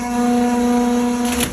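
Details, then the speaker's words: Propane fuelling station pump for Ford Econoline 450 21-passenger minibuses starting: a steady mid-pitched electric hum with a clean high tone settles in; it takes about 10–15 seconds before ready to fuel; normal pump start-up. "On entend l'activation de la pompe et il va se mettre à rouler. On attend à peu près, ça prend 10-15 secondes avant qu'il soit prêt à avitailler."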